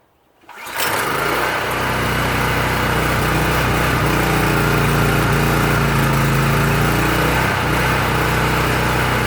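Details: PowerSmart PS44 3000W generator that sat unused since 2017, stale fuel, on full choke with the tank raised for fuel feed: catches and settles into a fast, slightly uneven drone; rough running on full choke.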